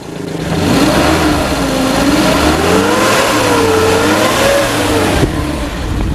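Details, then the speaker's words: 2001 Suzuki Carry Futura Realvan 1.5 GRV: several throttle blips, revs swell and drop cleanly with no metallic noise; no oil seepage and no white exhaust smoke (which would point to piston rings or valve seals), so engine judged in good condition. "Jadi kalau mesin emang udah dia nggak ada rembes oli, terus kemudian nggak ada suara-suara aneh metal gitu, dia masih bagus."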